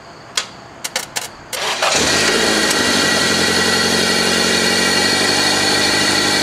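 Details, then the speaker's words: 1997 Toyota Corolla with a failed starter (worn plunger and contacts) that only clicked: a few sharp clicks, short crank via jumper wire from battery to starter, then it catches and settles into a steady idle. Normal start. "there you go finally success I'll keep this same run for a little while"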